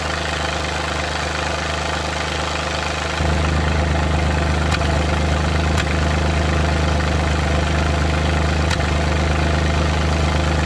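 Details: Suzuki Multicab F6A engine picking up slightly off idle, rough uneven beat with occasional sharp stumbles a second or three apart: random misfire.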